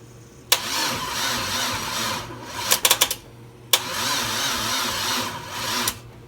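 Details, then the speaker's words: LS1-swapped Dodge Stealth on its first start attempt, with the battery weak and being jumped: two long, straining crank attempts with clicks, and the engine never catches; labored cranking because the car was left in gear. "The car was in gear, so it was trying to push the whole thing."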